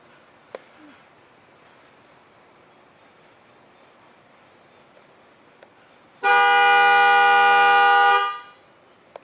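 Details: 2013 Chevy Volt, horn commanded bi-directionally from a Delphi scan tool's body menu: quiet background, then one clean, steady horn blast of about two seconds at constant pitch; horn works normally.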